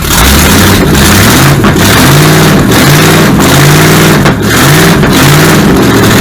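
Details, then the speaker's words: Supercharged V8 in a 1959 Vespa microcar, ignition timing being advanced further: loud, uneven surging with a rough lumpy beat, getting much closer as timing advances, until it runs out of gas. "Yeah, because that'd be advancing. Yeah. I'll go even further. Try that. That's a lot closer."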